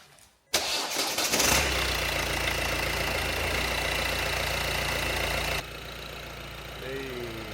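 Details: Manual car with DV6 diesel after broken timing belt repair (new oil filter, fuel not primed), wheels off ground: short crank, catches at once, steady even idle, no knocking; normal start and idle.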